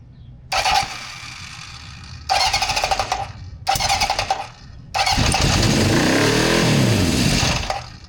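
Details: 1974 Honda CB750 four-cylinder with new harness, rebuilt carbs, new plugs and coils, and an older battery: three bursts of cranking fail to catch, then a brief uneven run that fades. Hard starting and poor idle, later fixed by adjusting the carbs and throttle.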